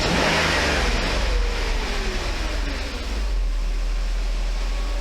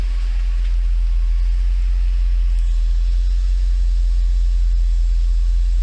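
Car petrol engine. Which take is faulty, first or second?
first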